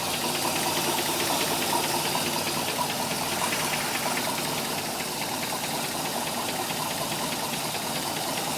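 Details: MerCruiser 3.7 four-cylinder marine engine at idle; light, fairly even top-end tick from idle up to 1000 rpm that then goes away, engine otherwise starting and running fine; source unknown.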